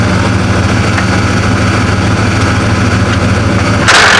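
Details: 1995 Ford F250 7.5L after clutch master and external slave cylinder replacement: lumpy idle, then a harsh high grinding rasp as reverse engages. Clutch not fully disengaging; the hydraulics still need more bleeding.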